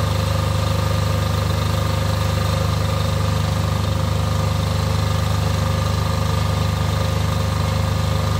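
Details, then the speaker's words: Off-grid diesel generator after service for fuel problems and cutting out, test run before load: steady low drone about three and a half pulses a second, no lumpiness or misses; lumpiness seems cured, idling smoothly. "sounding good to be honest it seems to have caught the lumpiness through doesn't seem to be too lumpy"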